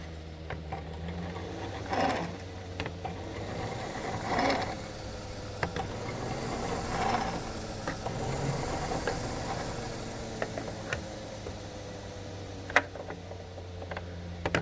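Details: Concept 2 rowing machine, oiled as recommended: soft irregular clicks over a low whir with a chain stutter on slow strokes, fading at faster pace; source still unknown; clicking at slow rowing speed.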